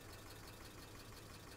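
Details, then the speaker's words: 2005 Mercedes ML350 (W163), about 168,000 miles, bought nearly out of oil, five quarts just added: quiet idle with fast, light valvetrain-type tick over a low hum, check engine light on; cause unknown. "engine sounds like still got a really bad tick oh that didn't sound good"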